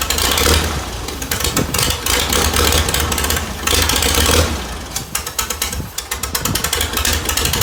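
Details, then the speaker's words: 1948 Farmall C tractor, an old family tractor, brought back to running after an engine fix and tightening to hold compression: fires and runs at a steady clip with regular exhaust pulses and no misses; running properly. "I feel like my uncle would be really proud that he got his old tractor running again and it's back on the farm where it came from."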